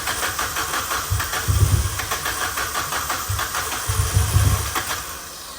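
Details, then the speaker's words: E85 car with flooded spark plugs after a fuel pressure regulator failure: rhythmic chugging starter bursts over two cranking attempts, never catching; crank-no-start. "it didn't start um didn't start took the spark plugs out um took the fuel pump uh relay out cranked it until there's no more gas in the in the cylinders uh put the spark plug back in all that stuff still didn't start"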